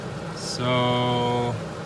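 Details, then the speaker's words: Plymouth Fury scrap car, jump-started: brief steady whir of about a second with no cranking beat; starter spins but engine doesn't turn, owner suspects chewed flywheel teeth. "the motor ain't turning something's going on with the starter I'm hearing this Illinois engaging and it sounds like it's spinning but I'm not the motor is not turning"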